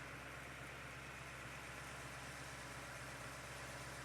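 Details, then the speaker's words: Rebuilt numbers-matching engine at first fire-up, 80 psi oil pressure, temperature rising toward operating temperature: soft even low rumble at steady idle with no ticks, knocks or rattles; running smooth and healthy. "Temperature starting to go up. Sounds really nice. Any leaks, squeaks, rattles, knocks, clicks?"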